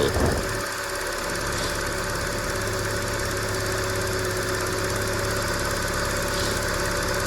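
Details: Used car idling during morning check, coolant being topped up, exhaust vapor judged harmless condensation not smoke: steady even idle, constant low hum, no knocks or misses; engine running smoothly and healthy.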